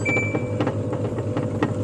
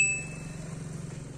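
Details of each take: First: Samsung 11 kg washing machine that powers on but won't start: the drum turns with a steady motor hum and soft swishes as soon as power is pressed, which it normally shouldn't; the control board's motor triac has shorted. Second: Samsung 11 kg washing machine that powered on but would not start, after rejoining a broken circuit wire: quick high chime, then a softly pulsing motor hum as the drum turns both ways; normal wash start and agitation.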